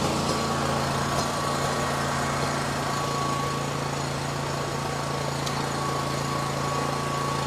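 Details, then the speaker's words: Machine that failed to start, jumped from another battery, now running: smooth, steady idle with a faint constant hum; it fires and runs fine, so the battery is bad again. "So it can start. It started. So that means it's the um that means that the battery is bad again."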